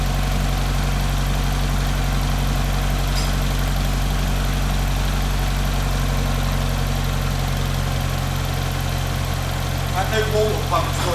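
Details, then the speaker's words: Barn-find Ford RS Cosworth after new timing belt and water pump, first run warming up: steady, even idle with no tapping and no hunting. Normal idle. "how much nicer does that sound now you've got no tapping at all and there's no hunting or messing around with"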